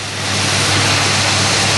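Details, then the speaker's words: 1978 Oldsmobile Cutlass 403 V8, slightly cold, starts right up and fast-idles evenly with no knock or clicking after distributor and arcing cap replaced (borrowed plug wires); earlier suspected piston slap was likely distributor noise, still possibly missing. "start right up fast-fast idols on sounds good little bit cold out no clicking sound at all"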